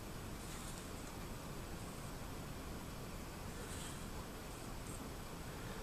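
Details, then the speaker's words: Vintage 1960s Newcomb 1625M tube record player/PA amplifier, probably near 50 years old, powered up through a series light bulb: filaments glowing, high voltage apparently present, only a faint steady speaker hiss with no hum or crackle; normal slight amplifier hiss. "Bulb's starting to light up a little bit. Probably tells me the high voltage is there. Can hear a slight hiss from the speaker."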